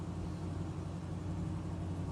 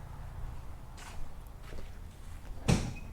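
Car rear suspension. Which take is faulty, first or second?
second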